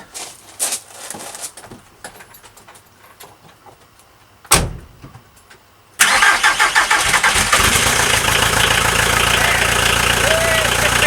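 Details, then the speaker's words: VW Transporter T4 with replacement diesel engine and original gearbox, first start after about 20 minutes total cranking and a fuel stop solenoid fix: catches and settles to a steady, loud clattery idle with no exhaust fitted; runs healthy. "She runs and lives and sounds healthy as fuck, doesn't she?"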